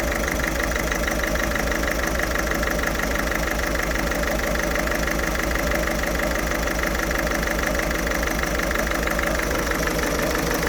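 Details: Ford Fiesta 1.6 TDCi diesel idling roughly with an uneven, lumpy beat of about three pulses a second and shaky low rumble; smokes acrid when revved; cause undiagnosed.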